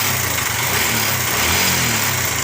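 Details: Bajaj Pulsar (owner calls it his 150) running steadily, with a busy, tinny clatter on top that is loudest in the upper range; timing chain rattle before chain replacement.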